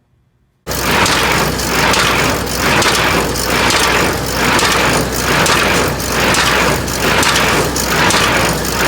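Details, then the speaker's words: New Holland 326 square baler running without hay dog stops fitted: loud rattling clatter swelling about once a second with each plunger stroke as hay dogs hammer their mounts. "It'll bolt in, and I'll show you in here. Here's a clip of what it sounds like without the stop."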